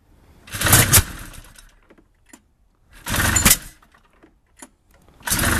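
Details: Powder Special 700 won't start despite swapped carburettors, steering safety switch removed and starting-fluid leak test: three short bursts of cranking with quiet gaps, engine never catches; cranks but will not start, cause unknown.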